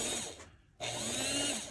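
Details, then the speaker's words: Varney 2-8-0 Canadian Pacific Consolidation model locomotive after freeing a stiff drive gear and working in fresh grease: a smooth, steady high-pitched whine at full power with no grinding, so the motor runs normally. "so why is it so stiff that's better maybe just needed to run all that grease through that I've just put in now that is full"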